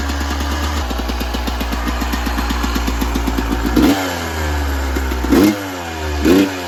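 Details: 1996 Yamaha YZ250 two-stroke, warmed up, pipe too hot to touch, before carb work: crackly idle then three throttle stabs flattening instead of snapping up; throttle bog, small blips fine, suspected pilot jet issue in carb.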